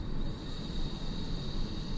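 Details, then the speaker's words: iOptron GEM28 telescope mount slewing in declination after tightening the worm-gear drive belt (motor screws re-tensioned); smooth even motor whir with thin steady high whine, earlier knocking gone, normal. "so basically that's all it was once I tightened this belt down um my knocking noise went away so we can see how it sounds now"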